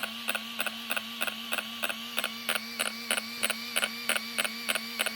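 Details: Arrma Kraton RC truck after installing a new servo: sharp, evenly spaced clicks about three a second over steady electronic hum, wheels and servo not moving.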